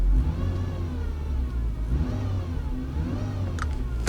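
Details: Volvo XC90 idling in neutral: a thin whine rises and falls, louder from the nearside rear over the gearbox area, with no noise in drive; a couple of sharp clicks near the end.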